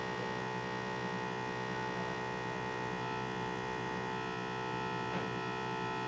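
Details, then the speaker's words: M2 X Series DTG printer being filled with ink: an even, low electric hum from the ink pressure pump, steady with no surging, chatter or rattle; the pump runs normally. "all right so i'm going to leave this one off for a moment you hear that pump that's your pressure pump"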